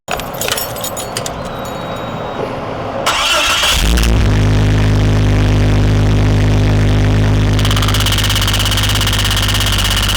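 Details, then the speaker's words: Jeep Cherokee with no reverse and an oil leak smelling of fuel: cranks, catches, then idles with a steady knock three to four times a second, probably from the bell housing, heard intermittently; likely missing/loose transmission bolts letting it separate. "that man really don't want to have to pull the motor out just to put some transmission bolts on that's the noise and that sometimes you hear it sometimes you don't"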